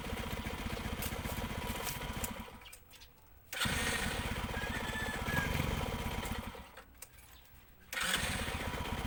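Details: ESR110 single-cylinder motorcycle, starting-noise and Bendix drive repair context: fires up readily without starter clatter and settles into a steady popping idle, cutting out briefly twice; normal start and idle.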